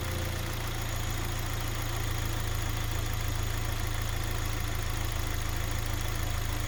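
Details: Kia Sportage 2.0L, 160,000 km, after fixing a cold-start knock: smooth, even idle with steady low hum and no tapping or knocking; engine sounds healthy.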